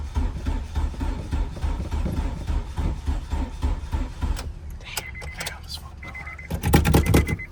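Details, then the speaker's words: Acura RSX Type S with a new battery, cranking: slow, labored cranking at about three to four turns a second that never catches, then stops, battery smoking; starter dragging, owner suspects wiring harness fault. "I put a new battery in it and it barely wants to"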